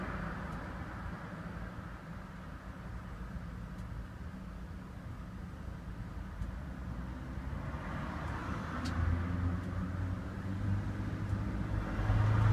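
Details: Range Rover P38 4.6-litre V8 with Bosch engine management, before repair: uneven, lumpy running with occasional stumbles, a misfire under diagnosis.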